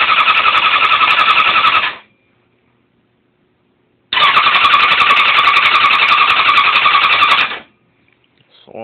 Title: Bike wont start!! Wtf!!!